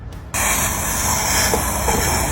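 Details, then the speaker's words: Car fuel tank cap being unscrewed: a sharp steady rush of hissing air, a puffing sound from trapped tank pressure caused by a faulty activated carbon canister solenoid valve. "When I was unscrewing the fuel tank cap just now, there is a puffing sound."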